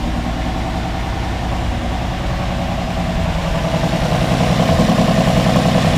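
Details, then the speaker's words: 1961 Ford Falcon, 144 straight-six, abandoned 20+ years, at its first idle after cleaning the carb accelerator-pump squirter. Uneven puffing idle at three or four beats a second, slowly firming up; sharp chuffing reveals a sizable exhaust leak. "a pretty good exhaust leak just like the Valiant"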